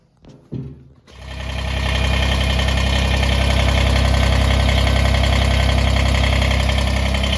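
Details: Kubota BX23S tractor (bought 2022) after grill guard latch fix with screw dimple and grease: diesel cranks briefly, catches and settles into a steady, even idle with no rattle from the front grill guard.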